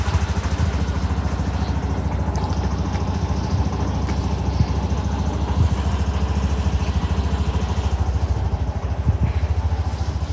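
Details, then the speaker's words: Mondial Fury 110i scooter, first start after refitting the exhaust stud that had fallen off (owner unsure whether from vibration): a steady, even idle with no putt-putt popping from the exhaust as it made before. "Aynen şu an sesi güzeldi bayağı önceden Pırpır ses yapıyor egzozda şu an güzelmiş"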